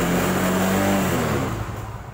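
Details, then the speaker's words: Carbureted Yamaha Mio Sporty scooter revs steadily, then power and sound drop away under full throttle; engine bogging, carburetor to be dismantled as the suspected cause. "suara hilang tenaganya hilang Pos ini baik kita akan bongkar Kenapa penyebabnya Mio Sporty ini tenaganya kalau tegas penuh jadi ngempos"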